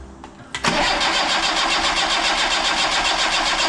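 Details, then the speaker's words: Yugo Sana GL sitting 20+ years, with a temporary battery fitted and oil pressure built up: the starter spins the engine at an even pulse of nearly four a second with no firing or catch; cranks, won't start. Spark plugs are to be checked next. "Okay, nothing so far, so I think what we'll do is we'll pop the plugs out and just check the condition of them and then give it another go."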